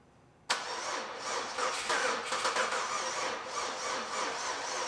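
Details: 2004 Pontiac Grand Am GT after sitting nearly five years, with antifreeze in the oil and injectors possibly stuck closed, run on sprayed carb cleaner: engine catches abruptly, runs ragged and uneven, surging and stumbling; cause suspected, not confirmed.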